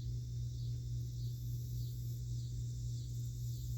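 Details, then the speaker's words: Well pump after a new pressure tank was installed, replacing a bad tank and switch that made it run excessively; steady low hum around 120 Hz as pressure builds toward about 50 cut-off, no knock: pump running normally. "we'll watch the pressure build up and i can hear it still running it's humming just a little bit it should shut off about 50."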